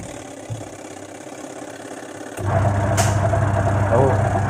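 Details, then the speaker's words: Sanken twin-tub washing machine, pulsator removed for cleaning, then refitted and bolted back; on power-up the motor kicks in, then a steady low hum with an even churning rhythm as the pulsator turns smoothly, normal spin after reassembly. "Setelah dibongkar, masih berfungsikah pulsatornya, masih bisakah berputar?"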